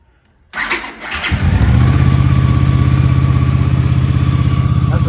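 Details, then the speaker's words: Cold start of a 1983 Honda GL650 Interstate motorcycle, an Ohio barn find just totally restored and newly running, first start of the day; brief crank, quick catch, settling into an even, steady low idle; normal cold start. "Now, I just finished it. I just got it running. I haven't had it running yet today."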